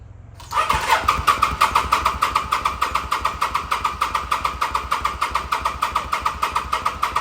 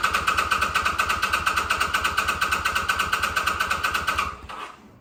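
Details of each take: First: 2005 Kawasaki VN800C, about 130,000 km, off the road since about 2015, first start attempt on charged battery, oil unchecked: starter cranks steadily about seven seconds and never fires. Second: 2005 Kawasaki VN800C V-twin, about 130,000 km, first start after roughly 10 years in storage, fresh petrol and recharged battery; steady even thumping about eight beats a second at idle, then winds down. Normal idle.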